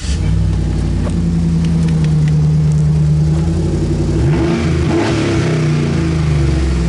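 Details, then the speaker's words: 2011 GMC Sierra 1500 with a straight pipe and no muffler, before a muffler is fitted: loud, deep raw rumble at idle swelling into a blaring roar on the rev. "All right, that's how she sounds. Let's put a muffler on it."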